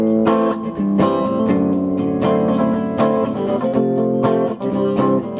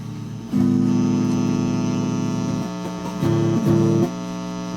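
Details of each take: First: Probably mid-1980s British solid-state Carlsboro Scorpion Lead guitar amp after input jack cleanup and reverb wiring correction: strummed guitar comes through full and clean, with no crackling or cutouts. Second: Guitar amp gives a steady low mains hum with a rough buzz on top, swelling in bursts, after the input jack was cleaned with deoxidiser.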